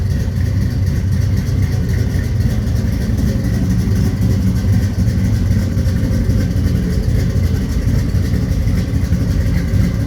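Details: 1983 Chevy C10 step side, 383 stroker V8 installed about 20–21 years ago, cold start before a heater core replacement: deep, steady idle with an unbroken beat and no knocks or misses. Runs phenomenally, a normal idle.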